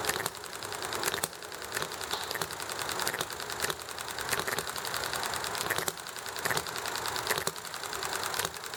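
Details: Enjomor model hit-and-miss engine running nicely: light, crisp mechanical ticking with periodic firing bursts as it slows, then coasting, under background highway traffic and conversation; normal hit-and-miss running.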